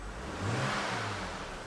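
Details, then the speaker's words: BMW E93 328i inline six back running after a thrown rod, revving with no fault codes: clean, even rise and fall of engine speed with no knocking; sounds healthy. "no little knocking noise now I know what a good fb2 is supposed to sound like so I'm thrilled"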